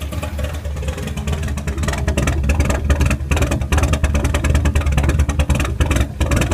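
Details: Renault R5 with Campus Turbo engine swap, at start-up and running: deep, uneven idle that lopes and stumbles with irregular pulses, a rough idle.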